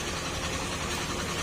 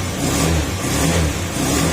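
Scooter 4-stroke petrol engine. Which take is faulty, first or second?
first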